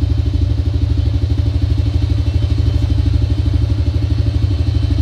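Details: Honda Dream single-cylinder motorcycle that would not start, fixed by cleaning the spark plug and adjusting carburetor air and mixture screws: quick, even putter holds a steady idle with no misses or stumbles; running properly now.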